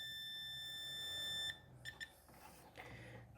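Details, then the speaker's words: Electrolux MEF41 microwave control board that won't power on: the meter's continuity test on diode 9 gives a steady high beep both ways, then brief chirps. Dead short; the diode or a nearby capacitor is suspected. "apitou de um lado e do outro vai apitar a mesma coisa suas de ouro Está apresentando curto"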